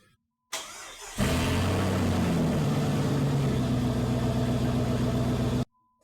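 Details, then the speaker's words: Jeep with muffler and catalytic converter removed, started while fixing an exhaust leak at a pipe joint clamp: brief cranking, then loud, raw, deep open-exhaust rumble. "okay we could easily say that that sound that is being created when you're taking the buffer off and the catalytic converter that is a sound I'd put a smile on your lips"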